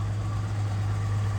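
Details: 1966 Chevy C10 Stepside pickup idling in neutral, heard from around the back: steady, even low rumble with no knocks, ticks or misses; no strange sounds, no smoke, healthy idle.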